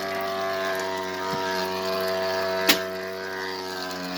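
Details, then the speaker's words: Electrolux washer keeps running with a steady mechanical hum, faint ratcheting and one sharp click even after pause, cancel, and with power cut to the outlet and the whole house at the main; cause unknown, only starting another cycle stopped it. "Okay, power off to the whole house and it's still running. How is that even possible?"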